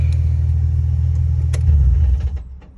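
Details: Nissan 350Z: low rumble cuts off at shutdown, then loose clattering knocks; rattle linked to the clutch pedal position, judged not engine related, owner suspects the drivetrain, not confirmed.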